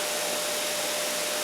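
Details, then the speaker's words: New bench buffer on newly built pedestal, cleaning pads fitted: steady even whir with no rattle, knock or grind; nice and quiet, stable, running healthy. "Nice and quiet, nice and stable."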